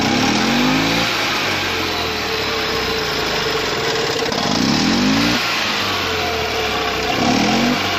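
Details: 2002 EZGO TXT with Robin 295 engine converted to Speeduino fuel injection (carburetor now a throttle body), in neutral: clean blips rising and falling with a throaty, even exhaust note attributed to adjustable timing, no misfires; healthy.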